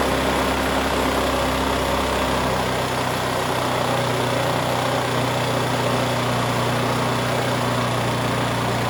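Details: New out-of-box 79cc bike-kit two-stroke engine with a bike muffler and air cleaner fitted: a fast, steady buzzing idle with no dips, set deliberately high because it won't start on low idle and must be adjusted down afterward.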